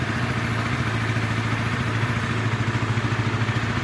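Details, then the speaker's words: Motorcycle at 85,000 km, cam chain never replaced, engine cover left open, running after earlier conrod and balancer bearing repairs. Rough, uneven idle with a dry clattery rattle at about three pulses per second. The roughness is attributed to a worn, slack cam chain. "Ini masih kasar teman-teman. Nah masih kasar, ini disebabkan oleh rantai keteng teman-teman. Rantai ketengnya juga udah lumayan aus teman-teman ini."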